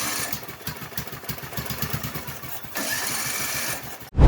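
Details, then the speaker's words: Riding lawn mower left sitting for years under a deck, with a new starter, a refitted carburetor and starting fluid sprayed in. Rapid chugging pulses while cranking, then it runs smoothly for about a second before cutting out; started briefly, then died. "Wanted to do it. Then it cut itself off. And after many years of it sitting rotting underneath my deck being neglected, it started."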